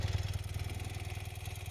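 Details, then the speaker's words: 1973 BMW R75/5 boxer twin idling after an oil change, valve adjustment, carb rebuild and sync; heavy flywheel, pitches right when revved. Even, soft thumping with light top-end clatter that purrs like a sewing machine, not overly loud; healthy normal idle. "purrs along like a sewing machine here. I don't think it's overly loud."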